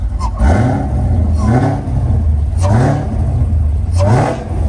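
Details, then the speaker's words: Chevrolet Camaro ZL1 supercharged LT4 V8 (680 hp on dyno), just fitted with Foster Mods Stage 4 sound tube to firewall, low fuel: four quick throttle blips rising cleanly and dropping back to steady idle, sound tube audible; normal revving. "Man, that thing shot. You can kind of hear the sound tube under here."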